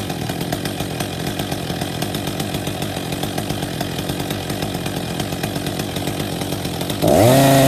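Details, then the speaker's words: Husqvarna 262 XP chainsaw after new clutch drive sprocket and bearing fitted and greased; idle speed set on T-screw, chain still creeps at idle; rapid steady idle patter then clean rev to high even scream; runs normally. "Fired, turn the choke off, leave it on fast run, so just push the choke in."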